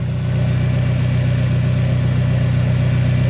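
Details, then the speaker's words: Turbo Mazda engine after timing chain and cam work, first start-up: smooth, even low idle with a steady beat, no ticking or rattle, much quieter than before, suggesting the old timing chain was noisy; sounds like a brand-new engine. "honestly this sounds like a brand new engine sounds brand new that sounds amazing"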